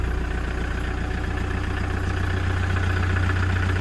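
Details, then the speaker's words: 2009 Toyota Commuter 2.5 D4D diesel van, just started. Steady, even diesel clatter at a smooth idle with a low, regular beat and no misses or knocks. Quiet, healthy engine. "สตาร์ทเครื่องเรียบร้อยครับเครื่องเงียบๆนะครับ"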